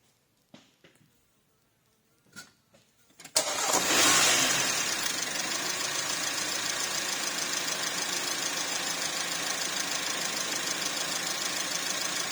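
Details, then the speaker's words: Porsche Macan 2.0L turbo (shared VW/Audi engine) after cam cover reseal, timing checked at 124 mm (spec 124–127): quick crank catches cleanly into smooth even idle, no ticking or misfire, no cluster faults; normal idle. "There's no faults in the actual cluster. Everything's normal. Alright, everything's back to normal, so I'm really happy with this job here."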